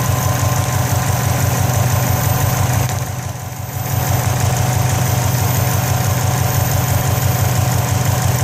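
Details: 2004 Subaru WRX at idle: loose uneven rattle about three beats a second from the turbo area, where smoke is also coming from; cause unknown.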